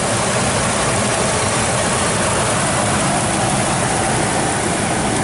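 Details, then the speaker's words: Ford Triton V10 with 18,000 miles in a 2007 Four Winds Fun Mover Class C motorhome, engine compartment open, slight exhaust manifold tag flap audible: deep, smooth idle, constant note, no knocks, ticks or hunting; healthy. "take a look at the engine while it's running so here's the Triton v10 motor when 18,000 miles on it"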